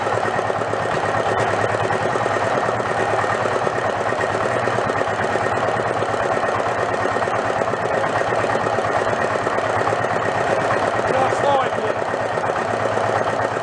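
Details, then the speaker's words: Renault single-cylinder marine diesel revived after about 20 years in a shed, with fuel now through the pump and throttle all the way down. A loud, fast, even, unmuffled thumping at a steady beat. Won't shut off without starving the air. Normal running. "so that's more like it there's only one problem i can't shut it off i gotta starve it for air"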